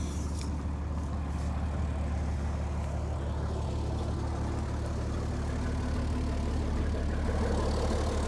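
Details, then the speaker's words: 60-year-old International Harvester 6x6 army dump truck, Perkins 6354 diesel (owner suspects a retrofitted crate engine), sat about 10 years: deep, even idle with no piston, gudgeon or tappet rattle; runs like a brand-new engine. "Just the way it runs, you cannot hear any any piston rattle or gajon rattle. Can't hear the tapets rattling. Everything's just just running just like a brand new engine, I'd say."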